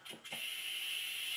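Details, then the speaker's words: Stuart 10V steam engine running on compressed air before rebuild: soft puffs then a loud steady hiss as air escapes at one part of the stroke; engine lacks power and knocks, needing internal inspection under the steam chest cover. "in this clip you can clearly hear that the compress air is escaping at this part of the stroke this is no good at all and requires attention"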